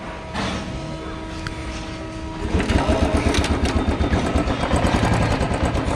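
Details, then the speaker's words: Old restored Royal Enfield Bullet 350 after carburettor flange replacement, previously stalling when throttle released and backfiring: starts and holds steady even single-cylinder thump, no stalling or popping; normal idle, problem fixed. "भाई हो गई start अब initial तो रुक रहा है इसका पहले तो रेस छोड़ते ही ना बंद हो जा रही थी तो यह देखो अब सही है बैक फायर भी नहीं कर रही"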